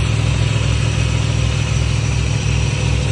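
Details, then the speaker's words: 1988 Chevy G30 motorhome at 53,000 miles, idling after an oil change while being checked underneath for oil leaks: smooth, steady low idle with a regular pulse, no knocks or ticks; sounds healthy. "All right, y'all. She sounds like a beauty to me."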